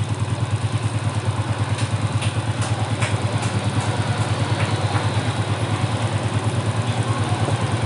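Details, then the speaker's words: Motorcycle single-cylinder engine just rebuilt and refitted, head modified, valve clearance set and carburetor cleaned and tuned: a steady, even idle pulse with no knocks, ticks or misses, a healthy normal idle. "Nih kalian bisa dengarkan sendiri suara mesinnya, enak kan?"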